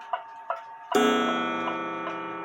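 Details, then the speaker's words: 1900 Jules Rolez gothic bracket clock bought in England in 1999, during repair: after the touching gong coils were separated, a few light ticks, then one clean gong strike rings evenly and fades with no buzz or rattle. Normal, healthy chime. "perfect. Some of these coils were touching each other, so I had to separate them."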